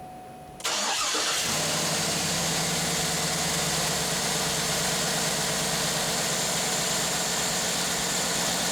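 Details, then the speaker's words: 2007-2014 Cadillac Escalade after alternator replacement: engine starts quickly and settles to a steady even idle with no knocking, faint whirr from the water pump, which the owner suspects will fail soon; normal start and idle. "Yeah, that sounds a lot better. While I can still hear a little noise coming out of my water pump, I think it's going to fail here in the near future."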